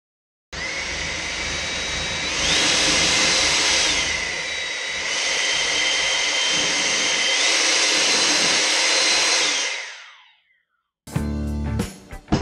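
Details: Ego 56V battery-powered handheld blower with brushless motor, test run after wiring harness replacement: smooth airy whoosh stepping between lower and higher speeds, then a clean spin-down. Blower motor and fan run normally.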